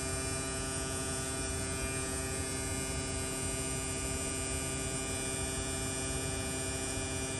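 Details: Replacement AC compressor on a mid-2018 Tesla Model 3 as the R134A can nears empty during low-side recharge: a steady, even electric hum with fixed tones, no rattle or surging; running smoothly.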